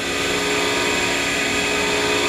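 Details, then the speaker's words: Used Baldor buffer after replacing bearings with new-old-stock Fafnir bearings pressed on; smooth, steady whir at constant pitch with no rumble, rattle or grinding, now nice and quiet, running normally. "So I found some of those on eBay, and they slid, well, they had to be pressed on, but so it's nice and quiet now."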